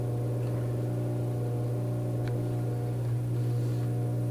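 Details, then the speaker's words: Vintage 1937 electric fan plugged in for the first time: loud steady low buzz that doesn't rise as the motor strains to start, humming rather than spinning up; owner thinks it needs oil. "plug it in in three two one our rate is really really buzzing"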